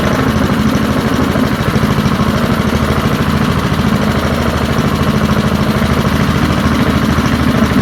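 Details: Early-1970s BF Goodrich push mower's small single-cylinder engine, pulled from a barn after sitting for years and found seized, runs again after freeing up and fitting the carburetor diaphragm; a steady, even putter at fast idle with no misses or knocks, running surprisingly well.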